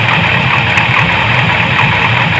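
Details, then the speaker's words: Chevy square-body dually 454 big block with a new Edelbrock 1411 750 cfm electric-choke carb, spacer removed to cure a vacuum leak, not yet warm: a steady, smooth low rumble at idle with no hiss; an exhaust leak is suspected. "it's idling awesome right now no hissing definitely was a vacuum leak there"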